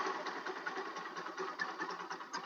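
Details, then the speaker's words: Rusi Macho TC150 single at idle right after fitting a new online-bought tri-electrode spark plug. Light, quick, regular ticking pulses at a steady pace with no misfires; a clean idle, and the idle could be raised slightly. "Yan yung minor niya, no? Pwede naman rin natin taasan ng konti yung minor natin. Yan yung tunog niya sa minor ng ating nabiling spark plug sa online."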